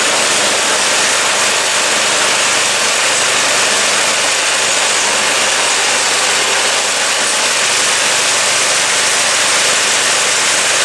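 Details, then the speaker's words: Snow blower repowered with a Predator 212cc 6.5 hp single-cylinder engine, after the swap: steady, even idle with no knocks, surging or rough patches, no more vibration than the old engine; normal healthy idle. "Everything seems to be working. The engine's running pretty good. Listen to that idle. And it's not vibrating any more than any other engine did on there."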